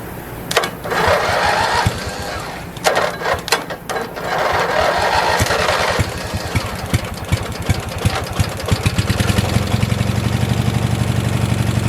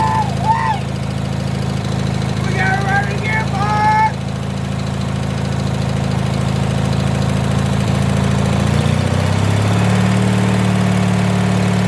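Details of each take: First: 1986 Murray lawn tractor after carburetor cleaning, no fresh gas added, cranked on residual carb spray: repeated cranking bursts with uneven chuffing before catching and running unevenly; the choke keeps pulling itself closed. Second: 1986 Murray lawn tractor single-cylinder engine after carburetor work and removing the choke plate: starts right away and settles into an even, low, steady idle; running healthy.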